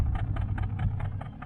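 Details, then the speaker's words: 1968 Nomad V8 idling: rough, uneven stumble in the low rumble with periodic puffs about five per second; misfire felt as slight shake when cruising, owner suspects it comes from the left bank, cause unknown. "so she it sounds great right sounds great but there's a Miss in it you can tell you hear that side let's say you can hear something"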